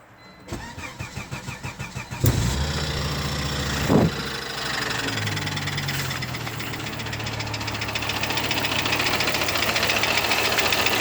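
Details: Volvo 850R petrol engine cranks, catches and settles to idle with a steady, fast knock running through it.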